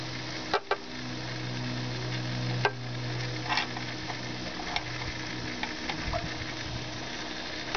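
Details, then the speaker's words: 2006 Toyota Prius inverter coolant bleeding, engine off, power button pressed twice to run the inverter pump: steady pump hum with gurgling, fizzing and small pops as trapped air bubbles out and the reservoir level drops. "You'll hear a lot of gurgling, a lot of bubbling, and um the level goes down in the reservoir."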